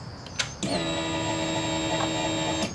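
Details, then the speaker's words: 2005 Honda CBR600RR no-start after a fuel pump replacement, microphone laid on the tank at key-on: a steady electric whirr for about two seconds, then a clean cutoff; the pump primes normally. "So, I'll lay my microphone on the tank and we'll turn on ignition, see if it primes. And yes, it primes."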